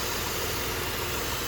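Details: 2007 Dodge Nitro 3.7 V6 at 147k miles, check engine light on, idle surge and rough idle (P0507, P0456): a steady airy hiss over a slightly uneven idle, consistent with a vacuum leak still drawing air.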